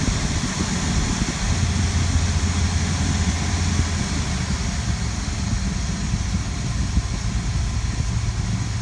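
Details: Toyota Land Cruiser started after a long absence, now warmed up with the choke pushed in and the fan clicking off; even, steady low rumble with no misses, surges or knocks, a smooth, healthy idle.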